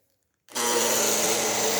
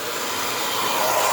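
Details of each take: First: Hair dryer heating normally but running in two short bursts with a loud, rough, buzzing whine; the motor seems to be dragging on something, perhaps the fan or some dirt. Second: Hair dryer after cleaning and reassembly, heat and cold settings tested: smooth constant airy rush with steady fan tone, no rattle or scraping; earlier strange noise gone, running normally.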